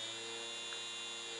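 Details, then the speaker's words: Small DC motor driven by an Arduino through an L293D H-bridge, speed raised with the potentiometer and direction reversed: faint steady high electric whine over a low hum, no grinding or clicking; running normally. "on peut augmenter la vitesse comme ça là on end la vitesse qui a augmenté on peut changer le sens de rotation on verra qu'il y a plus de couple"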